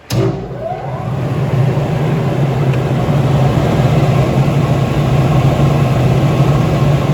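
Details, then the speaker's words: New York Blower steel exhaust blower, 0.5 HP, three-phase 480V, 960 CFM, 1490 rpm, built 2003: spins up to a steady low hum with smooth airy rush, no rubbing or rattle; normal running. "It is a three-phase blower. We'll turn it on now so you can see and hear it in operation."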